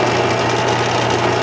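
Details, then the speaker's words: Lathe turning round stock in a steady rest with bars during an overhead-valve Briggs project: even, steady hum with no knocks, rattles or chatter; runs so quietly and smoothly that bar movement is hard to see. "I actually had to uh put a couple uh Sharpie marks on here magic marker because uh it was running so quiet and so smooth I couldn't tell if them B bars are moving but they are they're working"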